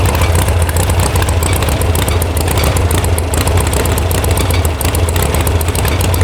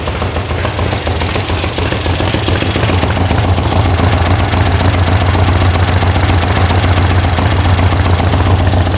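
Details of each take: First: VW air-cooled sand rail buggy (about 1966) after electronic ignition install and firing order correction: deep, slightly unsteady bobbling idle, a rough idle because the carb mixture screws were backed way out. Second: VW sand rail air-cooled flat-four after electronic ignition install, warm start: steady, even low throb at idle with regular firing and no misses or knocks; healthy, though owner suspects a loose internal exhaust baffle.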